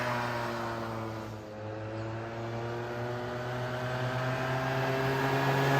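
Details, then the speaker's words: 2006 Suzuki Quadsport LT80 two-stroke after carb cleaning, carb setting returned to stock position and airbox refitted (runs lean without it): steady even buzz climbing smoothly in pitch as revs build, no stumbling or burble; running clean. "So, I put it back in the stock position. With the airbox on, it definitely makes it run better cuz without it, it definitely uh acts like it's running lean."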